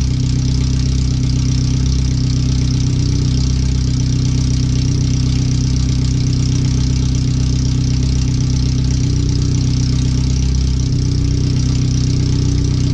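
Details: First startup after replacing the header and fuel filter, with O2 sensors moved and wiring rerouted; header only, no exhaust fitted yet. Loud, raw, steady idle with a hard, even exhaust beat and no muffling. The computer reads 5–7% rich.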